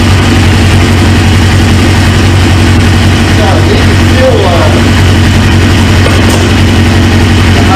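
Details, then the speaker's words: 1999 Suzuki GSX-R 750 four-cylinder, used engine just installed: deep, steady, even idle burble with no misses, knocks or rattles; healthy, while fuel leaks from the high-pressure line quick-connect at the tank, likely a bad O-ring. "but once that fuel pressure built up man she fired she fired right up"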